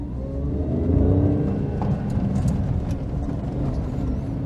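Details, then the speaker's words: Daihatsu Charade after engine swap, running on a working replacement inlet manifold with fresh gaskets: small petrol engine pulls smoothly under light throttle at low speed, revs rising evenly with no misses; normal running. "sounds good I can't wait to get this car back out on the road again"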